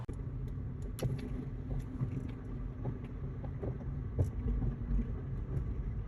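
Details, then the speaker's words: 2005 Honda Accord 4-cylinder, driving: a low rumble with sharp, irregular pops and clunks that seem to come from the driver's side suspension area, caused by a worn upper transmission mount; the suspension checked fine. "it sounds like it's coming more from the driver's side suspension area to me it sounds like a popping noise"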